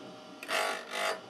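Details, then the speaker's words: Drill-bit sharpening with a drill grinding attachment fitted to a bench grinder, bit advanced by screw until it just touches: two brief gritty grinding passes tapering off smoothly, ground until nearly no sparks; normal contact. "you only want to touch a little bit oh a little bit more go like this I continue till there's nearly no sparks left"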